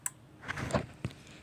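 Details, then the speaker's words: Remote-capable 6 V emergency light wired to a 12 V remote head: sharp single relay clicks as the test button is pressed and released, disconnecting power so the AC bulb goes out; normal, clean relay transfer. "You can hear the relay clicking. When you press it, it disconnects the power"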